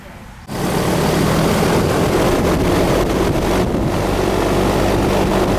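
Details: Newer AC outdoor unit that had been cycling on for 30 seconds then shutting down, not cooling, with a 220 motor and surge protector, restarted after repair work: after a short silence it kicks on into a steady, even whoosh with a low smooth hum, sounding normal.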